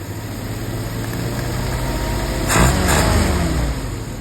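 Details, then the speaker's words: 1948 Willys pickup's professionally rebuilt carburetor on its test run holds a steady low idle, takes a short throttle blip that rises and drops back cleanly, then settles smoothly. Normal idle, much better than before the rebuild. "I don't know, what do you think? A lot better than what came in here. Nice and smooth."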